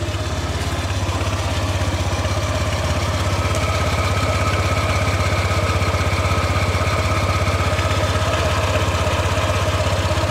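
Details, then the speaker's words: Honda PCX160 CBS after one year of use: uneven, thumping low rumble at idle, about three beats a second. Owner calls it still rough and thinks replacing a part might smooth it; cause not confirmed. "cuman bunyi gluduk-gluduk nya masih masih kasar ya kalau diganti mungkin udah halus"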